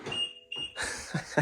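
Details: 2015 BMW F31 328i wagon with N20-to-N55 swap, original FEM and N55 DME recoded with car's VIN/ISN: two short high chimes then door and cabin clatter; key accepted, car wakes normally.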